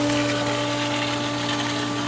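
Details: Hayward DE pool filter pump restarted on filtration after backwash and rinse; steady even hum with a constant low tone and water rush, no surging or rattle, running smoothly.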